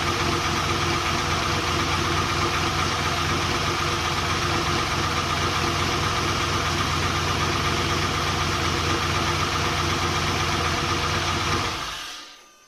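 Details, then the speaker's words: Volvo 240GLE with swapped LS2 V8, first start after engine reinstall, idling: lumpy beat around four per second as one cylinder drops out; number 8 coil had been swapped to number 2, pulling that plug changed nothing, and the owner suspects a faulty plug. "I did notice that I swapped the number 8 coil to number 2. Pulling this plug off made no difference to how the car ran, so I thought maybe there's something to do with this, but when I touched the plug here, the revs changed. So I reckon there's something wrong with this plug."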